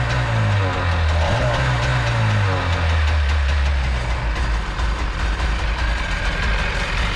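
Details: Jet boat two-stroke with freshly rebuilt carbs, on a water hose: strong, low, even burble with a steady beat, no misses or rattles; running cleanly.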